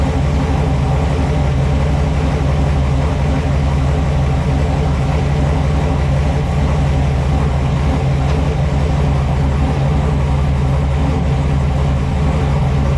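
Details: 4x4 Blazer with swapped small-block Chevy V8, freshly fitted exhaust replacing open headers: deep, loud, steady rumble with even lumpy beat, no ticks or knocks; idling healthily.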